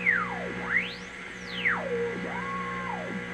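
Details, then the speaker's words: Restored vintage EICO 315 RF generator on C band near 600 kHz, internal modulation off, output laid near an AM radio tuned to a dead spot: the whistle sweeps as the dial rocks, going silent at zero beat when it is right on frequency. "I'll turn the radio up now as I rock this dial you'll hear a whistling and in between the whistles it's a dead"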